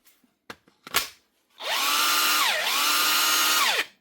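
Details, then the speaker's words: DeWalt DCF899 impact wrench after new anvil, gearbox housing and steel bush: clean, even motor whine that spins up, dips briefly, then holds steady, no rattle or grinding. Normal running. "New anvil, new gearbox housing, new steel bush. Keep it all nice and tight and running smooth."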